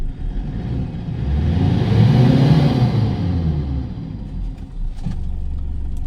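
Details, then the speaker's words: Toyota Hilux 2KD diesel that wouldn't start, fixed by replacing the cracked supply pressure pump (owner suspected the computer box): revs smoothly up to about 4,000 rpm and back to even idle, no knocks or misses. "yun aabot na siya ng 4,000 RPM"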